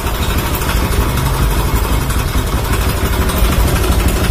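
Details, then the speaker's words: Motorcycle after installing Tobaki coil and Faito spark plug cap, which cured near-stalling at start: even low putter at idle, no misfires or skips; timing back to normal, like new. "Motor seat buset saya pun, dia punya timing pun sudah kembali normal seperti sedia kala. Macam motor baru keluar daripada kedai."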